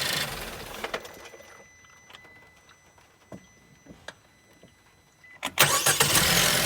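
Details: Suzuki Swift Sport ZC33S after replacing the water pump, which had made an abnormal noise when the engine stopped. A few clicks, then it cranks and settles into an even idle with the noise completely gone. Normal running.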